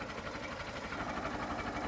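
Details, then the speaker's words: Late-1955 Farmall Super MTA diesel tractor, all original, recorded up close at idle: steady, even beat with slight clatter, no misses or knocks; normal healthy idle. "I just love the sound of this thing idling. Get it right up close so you can hear it."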